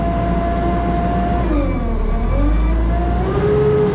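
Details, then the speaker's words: JLG 80HX boom lift hydraulics, telescope-in function with all flow sent through the valve block: steady shrill squeal with wavering pitch over the running engine as flow dumps over the relief valve, pressure about 2400-2600 psi versus 3000-3100 spec, relief set too low. "I mean they hear the relief valves squealing so the relief valve are set too low and I need to turn them up"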